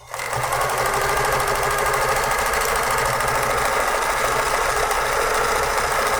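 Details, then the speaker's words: Vintage Pfaff 360 sewing machine: fast, even mechanical chatter at a constant stitch rate with no binding. Machine running normally. "there's always something wrong with it you never know what it is but so far um other than just needing cleaned and lubricated this thing is working like a champ"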